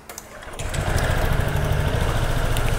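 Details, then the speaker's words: Honda SH 125 FI 2021 that sounded like a tractor after servicing. After fitting the correct-type seal/gasket, the engine catches and settles into a steady, even, crisp putter with no knocks or rattles: normal idle. "Ok anh em sau khi lắp cái sinin cái rong nó đúng loại rồi thì tiếng máy nó nổ êm luôn anh em nhá"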